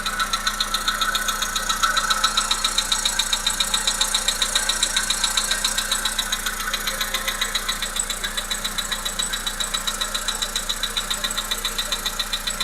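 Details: Volkswagen Polo Sedan 1.6 CFNA engine at quiet idle with very even sharp metallic knocks, about 220 a minute; internal engine knock, cause unknown.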